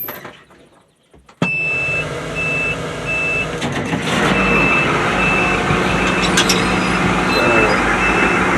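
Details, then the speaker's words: White 4-175 tractor, first start after rear main frame repairs, speed sensors not yet installed. A sharp high beep repeats about twice a second over the running engine: the PTO/rear frame lube pressure alarm. Remote valve detents are also sticking. "that's that's about the only problem really is the the um the alarm PTO pressure alarm and the um detents"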